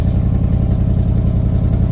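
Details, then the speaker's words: 1979 Chevrolet C30 square-body truck, with ATF in the cylinders: a deep, even V8 rumble with a clean rise on the throttle. Normal running; it sounds good. "Overall, she sounds good. Now it's just a matter of getting into this, fixing up some other small stuff,"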